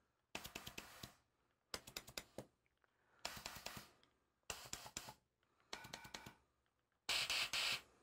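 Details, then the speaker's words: MAC valve air stack on pneumatic test, valves fired manually through the overrides with no air leaks: six bursts of crisp clicks with short sharp air puffs and no hiss; valves shifting properly. "everything worked properly so that part of the air test pneumatics test is complete"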